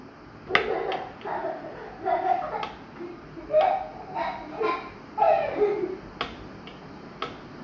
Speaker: der schlägt hier unten immer dran ich werde jetzt mal gucken ob ich da diesen Grad entfernen kann damit es ein bisschen besser geht dieses Plastikteil verzieht sich mit den Jahren